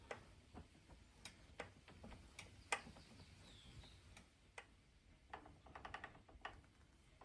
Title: Specialized Levo Gen 4 Pro 3.1 Motor "knocking noise when rotating backwards" not an issue!